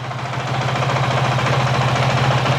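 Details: 2023 Honda CRF450X with a thermostat delete kit fitted, idling from cold for a 5-minute warm-up test, not reaching half operating temperature: steady, even single-cylinder thump, low tone, no misses or knocks, slowly settling; normal healthy idle.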